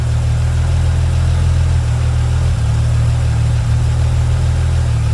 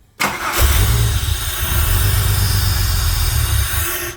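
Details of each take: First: Holden VY Calais V6 after 4L60E transmission service, held in drive on the brake and stalled up to about 1500 rpm to fill the torque converter, no cooler running: deep, steady low drone, no knocks or misses; sounds healthy. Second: Holden VY Calais V6 on E85, cold start after coolant and 4L60E transmission service: catches then lumpy, stumbling beat; misfire later traced to cylinder six, rear left, spark plug and injector being checked.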